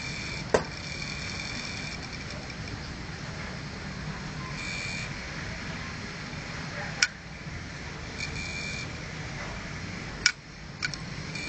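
A steady high hiss with a few sharp, irregular clicks, the typical clicking of a failing hard drive.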